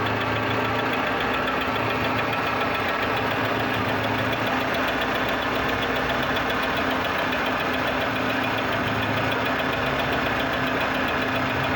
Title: motor com barulho estranho